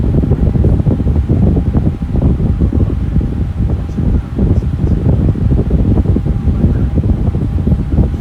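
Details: Lasko Air King high velocity floor fan, a discontinued series: steady, even rush of air with a faint constant hum and no ticks or wobble, running normally.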